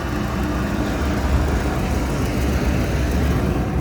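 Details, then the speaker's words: York rooftop unit with a no-heat complaint, after thermostat connections were reseated: the fan kicks on and the unit runs with a low, even rumble and no knocks, squeals or surging; it started normally. "sounds like the rtu just kicked on heard the fan just start see if it's got ignition"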